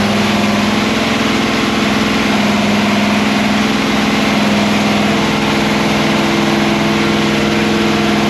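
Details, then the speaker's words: Freshly built 408 ci small-block Chevy "sleeper" with a Quadrajet on the dyno, idling during initial run-in with a timing curve loaded; stock-like idle, big V8 ticking over smooth and even with no misses, knocks or lope; normal. "all right so part of this whole project sleeper is having an idol that doesn't alarm the neighborhood check this out I think that's pretty sneaky don't y'all"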